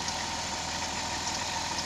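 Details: Pickup engine idles evenly with a steady hiss and no squeal or chirp after something was applied to the belt as a temporary fix; the owner says the belt squeals whenever it gets wet. The belt drive is running quietly.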